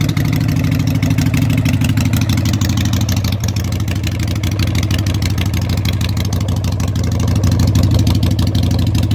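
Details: Harley Sportster 883 street tracker build, start-up with loud exhaust pipes for early Sportsters on a modified crossover bracket; the builder may need to rejet the carburetor. A loud, lopey exhaust beat at about three pulses a second, steady with no misses. Normal idle.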